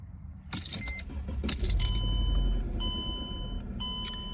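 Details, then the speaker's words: 2005 Mercedes E320 wagon (W211), service overdue by 36,000 miles: key clicks and starter, then the engine catches and settles into a smooth, steady idle with no knocks or misses; sounds healthy. "so it sounds really good i actually really like the sound of this engine"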